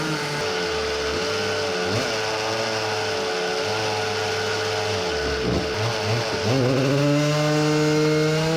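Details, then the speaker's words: Samurai 40cc two-stroke on dyno after CDI fix, new cylinder and original-length exhaust, seemingly running lean and nearly out of fuel: pitch sags and stumbles midway, bogging. "it's almost out of gas but let's try one pull bogging..."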